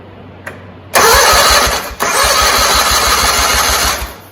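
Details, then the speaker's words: John Deere 317 lawn tractor, year unknown, compression present on both cylinders, battery seemed weak: starter spins engine with an even chuff, equal strong compression strokes; healthy cranking but engine did not fire. "Sounds good. I was kind of hoping it would take off."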